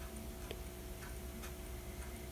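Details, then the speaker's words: Vintage Apple Macintosh Plus under restoration, floppy drive already broken: soft, light ticks about twice a second over a low steady hum. The owner heard the faint ticking is the disk drive; unconfirmed. "i'm not sure if you can hear this but it's making a really faint ticking sound now i heard that this is actually the disc drive"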